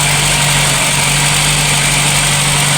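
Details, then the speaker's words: VW Polo Classic with fluctuating idle: cold start after swapping the coolant temperature sensor, MAP sensor plugged in, not running rich; even, steady low idle hum with no hunting or surging, much improved over before. "But it's maintaining a steady idle cold start. Um see if it goes away."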